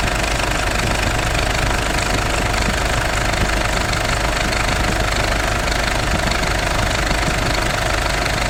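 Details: Idling engine gets noisy when the air conditioning is switched on: loose, uneven knocking clatter over the engine at idle. Source not pinned down.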